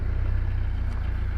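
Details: 2005 Kawasaki KZ1000 Police, motor 458, after cold start: low, even pulsing idle with steady beat, no misses or tapping; idles smoothly and healthy.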